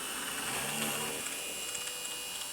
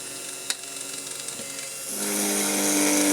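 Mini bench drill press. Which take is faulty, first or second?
second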